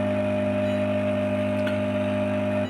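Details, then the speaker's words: Luminous inverter: loud steady buzzy hum from the transformer, cutting out abruptly, followed by the overload LED lighting; caused by a faulty internal preset (20K, 50K in some units), fixed by replacing or readjusting it. "तो दोस्तों, अगर आपके inverter में भी overload दिखाई दे रहा है या ट्रांसफार्मर से भिनभिनाहट की आवाज आ रही है और उसके बाद ओवरलोड का संकेत मिल रहा है, तो ऐसी स्थिति में आपको यह प्रीसेट बदलना चाहिए।"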